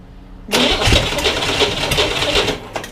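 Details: 1961 Corvair air-cooled engine on a bench, sat 20 years, partly refurbished: catches suddenly, runs ragged and uneven a couple of seconds, then dies; fuel-starved, not drawing from the fuel line, float bowls hand-filled.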